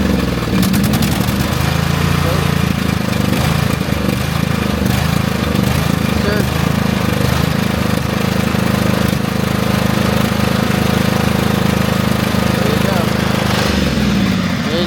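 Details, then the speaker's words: Craftsman GT5000 riding mower, 22 HP Briggs & Stratton ELS OHV V-twin, after carburetor cleaning for a no-start: catches quickly, brief surging that stops within seconds, then steady even V-twin beat; runs healthy. "the surging stopped by itself. You know, just took a couple seconds."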